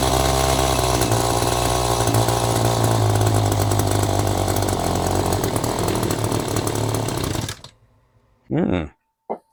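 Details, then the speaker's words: Echo GT-2200i string trimmer on aftermarket carburetor, choke off after adjustment: buzzes hard at high revs about seven seconds then cuts out abruptly; runs briefly then stalls, cause unconfirmed. "try turning it up just a bit right let try it again [Music] w [Music] [Applause] and it just conked right out interesting try that again"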